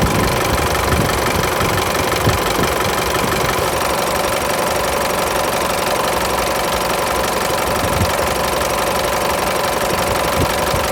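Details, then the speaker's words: Isuzu Mu-X diesel idling, AC compressor off: slack AC belt flaps and vibrates heavily, uneven knock about three times a second; owner unsure if belt or compressor clutch noise; loose belt slap. "ใช่แล้วครับน้าๆสายพานครับสายพานตัวนี้นะครับเขาเขาสั่งมากใช่ไหมครับแม้กระทั่งคอมแอร์เนี่ยไม่ทำงานนะครับสายพานเค้าก็ยังสั่นอยู่เลยนะครับ"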